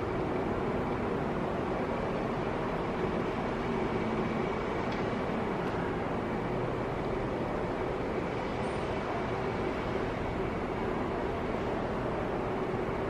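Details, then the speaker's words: LED wash moving head stage light with zoom, powered on and completing its reset: steady, even whir of fan and motors with no knocks, clicks or grinding; fan audible but not noisy, unit sounds healthy. "Yeah, now it's finished on the reset and you can see this moving headlight is smooth."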